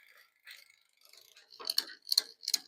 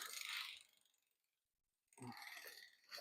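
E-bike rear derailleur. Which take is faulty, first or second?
first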